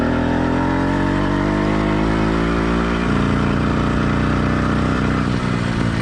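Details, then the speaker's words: Two-stroke motorized bicycle engine warmed to normal operating temperature but not heat-soaked: clean, even buzz with a steady note climbing smoothly midway, no blubbering; normal running. "let's listen to how the motor sounds after it's been warmed up but note this motor is not heat soaked"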